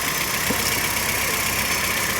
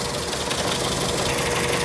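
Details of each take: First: VW Gol AP engine after a blown head gasket repair (it had been running on only two cylinders) and a cooling system cleaning: smooth idle, then clean repeated rev blips with no knock or miss; the noise is totally changed. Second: VW Gol with AP engine, burnt head gasket, running on only two cylinders: rough, uneven idle with choppy knocking beat and stumbling firing; noise can be mistaken for bottom end, confirmed by removing cylinder head.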